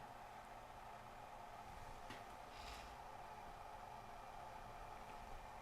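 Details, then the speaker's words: Sony DCR-TRV310 Digital8 NTSC camcorder, which the customer said rewinds slowly; microphone moved close during rewind. A quiet, constant whir at one steady pitch with no dips or labouring, so the tape rewind is normal. "but here's the sound I'm moving my microphone over here I don't hear it bogging or slowing down or stressing too terribly much"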